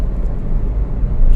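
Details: 2020 Nissan Versa 1.0 under 40,000 km driving after repair: smooth even road rumble, no clicks or knocks; earlier clicks and noise near 60 km/h came from wheel hub/bearing play, not the steering rack as misdiagnosed.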